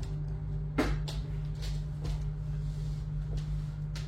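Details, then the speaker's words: Bosch dishwasher after replacing a wrong, sealant-patched circulation pump that caused a leak error. Auto program: steady low pump hum with soft splashes and knocks from the spray. Normal washing. "Так ну всё судомойка работает всё открывается закрывается клиент доволен"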